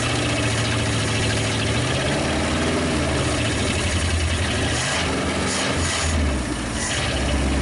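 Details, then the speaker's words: 1956 Studebaker Golden Hawk after storage: steady, slightly lumpy low idle firing on all cylinders, no knocks or rattles, still settling. Owner says it's getting better and not overheating; it's just the stuff on the manifolds. "Well, it's getting better. No, it's not hot."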